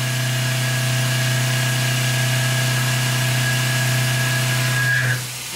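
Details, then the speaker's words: Lathe turning an O1 tool steel boring bar, cut in two depth passes to reduce chatter: a steady hum, then a faint high ringing of slight tool chatter as the tool finishes a full radius cut. "but more importantly right at the end you'll hear a little bit of chatter when it comes and makes a full radius cut there it's not too bad"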